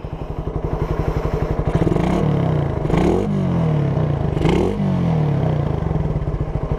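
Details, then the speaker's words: Raider 150 Gen1 carbureted single-cylinder with 51 mm big elbow and New Breed canister, needing break-in: steady idle pops then two quick revs with faint tinny clank from the canister; normal exhaust tone with slight internal rattle. "So baka naririnig yung kalampag ng motor ng makina. Ayan, parang may nakakalansing sa loob."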